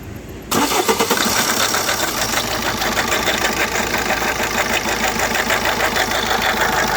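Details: Opel Combo 1.3 Multijet/CDTI diesel: engine cranks, catches and settles into a busy, rough whirring run with a faint rattle underneath, traced to a worn water pump bearing; the belt was removed to check it.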